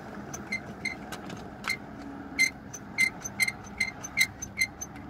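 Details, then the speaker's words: VAZ 2114 rear seat-back latch, its bolts unscrewed and loose, gives sharp irregular squeaks about twice a second over bumps while driving; fix was tightening the latch and spraying WD-40 on latch and lock. "вот замок тут раскручены болтается и вот такой мерзкий скрип издает"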